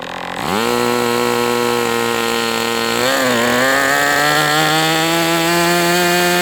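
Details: MDS 68 FS Pro engine during break-in, 11x8 prop, high-speed needle tweaked another 1/8 turn: high even buzz, picks up slightly once, then holds smooth; running well but still a little rich.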